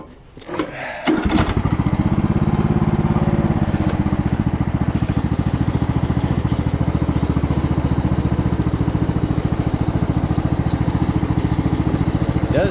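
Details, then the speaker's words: 2014 Ariens 42-inch riding mower driving forward, with a failing stator to be replaced (about 14 V at idle) and no brakes or reverse yet. Engine catches and settles into an even low thrum with no drive-belt squeal or slap; normal running. "Drive well though there no noise on the drive belt I don't want to run it too long with it charging the battery like that"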